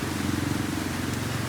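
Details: Honda Click scooter that had check engine on and would not start, after ECU repair: short low electric hum at key-on under outdoor rain noise, the fuel pump priming normally.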